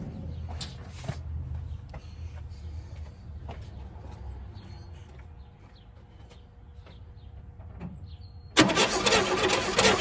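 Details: 1964 Chevelle Malibu 230 inline-six, first start after 34 years. Plugs are back in, spark is confirmed and gasoline is poured in. Slow cranking rumble with scattered ticks, then one sharp loud cough that never catches: cranks and coughs but won't start.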